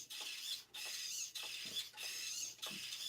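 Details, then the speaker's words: Traxxas Nitro Sport RC car, steering servo swung lock to lock after hibernation: thin high whirring bursts about every 0.6 seconds, slow and strained; servos described as horrid and owner plans to upgrade; weak slow steering servo. "yeah I got to upgrade that it's coming back but I mean that's as fast as the tra the servo goes"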